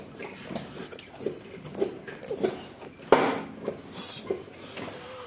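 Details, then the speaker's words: VAZ 2104 rear suspension: irregular dull knocks about two per second as car rocks, with ringing; diagnosis found broken lower shock absorber mount and loose hub bearings. "такой вот стук брус закрыт ваша таешь не затянуты ступичные подшипники врагов штук такой вот и звон из за того что у него разбила нижние крепления амортизатора"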